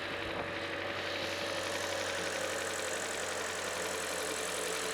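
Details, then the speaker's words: 2018 Hyundai Elantra GL 2.0L Nu engine after timing chain, guides, tensioner and VVT solenoid replacement: usual brief chain rattle at first start, then steady, smooth, quiet idle with no rattle or tick. "You'll always always seem to get that chain rattle when they first start. But she's running down quiet now."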